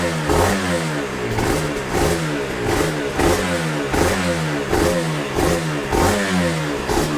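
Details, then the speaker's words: Yamaha TZR 250 3XV 1990s twin two-stroke, first start after wreck-to-runner rebuild, in neutral: regular even throttle blips with ringing two-stroke crackle, no knocks, smooth idle, some smoke; normal, healthy running. "And a smooth idle. My God, couldn't wish for any more, could you?"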